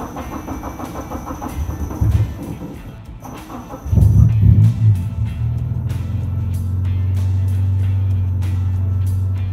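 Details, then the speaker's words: Budget Honda Civic EG hatchback with a K-series engine swap, first start: the engine cranks, catches and settles into a steady, even low idle with no knocks or misses, with music over it; normal start and idle. "we got it running ready for a test drive"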